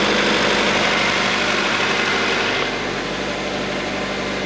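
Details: Acura idling right after new AC, alternator and power steering belts, idler pulley and AC compressor were installed: even, steady idle with a smooth hiss and no squeal or chirp from the belts.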